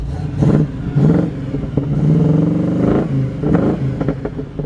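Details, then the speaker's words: 1941 Chevrolet Coupe engine with a mild cam and brand-new Borla exhaust, revved in several blips: a mellow, deep exhaust with a hot-rod edge and a slight cam lope. Normal exhaust note when revving; healthy. "You can hear the little cam in it. Just a mild, real mild cam there."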